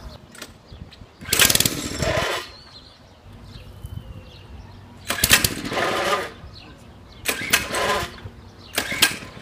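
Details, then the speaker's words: Mini-bike small engine sitting unused 6 years, fresh gas, spark plug good, starting fluid sprayed: several pull-start bursts each sputter briefly then die to quiet; cranks but won't catch. Owner suspects stale fuel; carburetor later inspected. "I'm going to sit y'all down over there or somewhere and uh y'll get to watch you try to struggle to get this thing to start"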